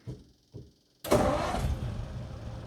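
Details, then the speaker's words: 1941 Ford Super Deluxe Business Coupe flathead, started in neutral with key, coil and electric fuel pump switched on: a couple of short cranking bursts, then it catches and settles into a soft, even, very quiet idle; runs good. "and she's running it's so quiet I never knew that flatheads were so quiet"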